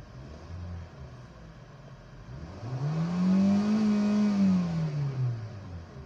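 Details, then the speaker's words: Kia engine after WD-40 was sprayed on brittle, heat-hardened hoses and wiring harness, fixing a delayed-RPM, low-power complaint: quiet idle, then a clean rev climbing and falling back instantly, no former 2-second lag; normal throttle response. "So check natin kung responsive yung RPM. So responsive na siya. Hindi kagaya nung dati 2 seconds bago mag-response."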